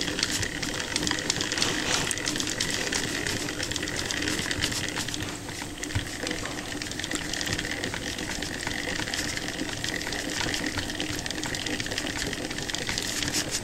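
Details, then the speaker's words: Restored Edison A60/A80 disc phonograph belt-drive spring motor (c.1913), cleaned, oiled, greased, adjusted, wound with borrowed crank: quick ratcheting click, then soft even whir; winds and runs normally. "here we go and it works I had to borrow the crank from a different machine but it's good enough"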